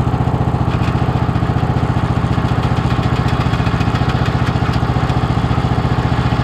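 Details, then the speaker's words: Toro LX460 (MTD) Kohler lawn tractor with CVT variable-speed transmission, running with the rear jacked up: steady regular slap about three times a second over the engine; the owner thinks the drive belt on the right side was loose. "uh there was a noise where it was kicking right i was wondering what that noise was but watching the video it looks like the belt was loose"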